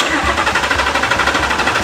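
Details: Mercedes-Benz E300 with swapped 5.2 L Voodoo crate engine, cranking with injectors and ignition coils unplugged to check RPM signal: even starter churn with regular compression pulses, never catching; healthy crank, no fire.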